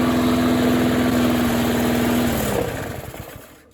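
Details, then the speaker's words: Discarded older Rally push mower (probably AYP), repaired; steady even putter then slows and cuts out cleanly, shaking heavily; owner believes the engine brake cable caused the earlier trouble; runs normally. "Works fine though. I guess it was just the engine brake cable."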